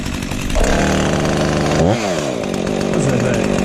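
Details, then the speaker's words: Chainsaw fires up and revs cleanly, pitch dropping back to a steady buzzing idle with no misses or knocks. Normal running; described as just a beauty. "Fires up and runs. It's just a beauty."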